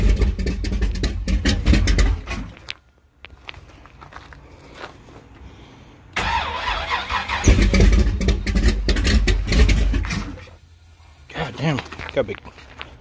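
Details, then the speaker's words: Thumpr-cam 454 big-block Firebird at its first start in two months: lumpy V8 fires, runs rough, dies and refires; distributor was pulled back to remove timing, leaving idle too low. "i pulled the distributor back a little bit took some timing out because and my cam videos i've had multiple people say that uh got too much timing in it"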